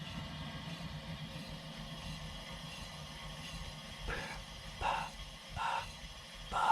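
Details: 2018 VW GTI SE, rear passenger-side wheel spun by hand: a soft whoosh about once per wheel turn, like rubbing; the other side sounds different and smoother; cause not pinned down.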